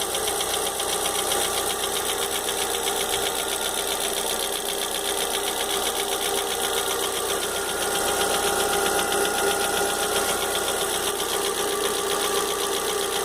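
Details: Fox idling with engine noise the owner can't identify. A fast, fairly regular metallic ticking of about four per second rides over the engine. Knocking, source unclear.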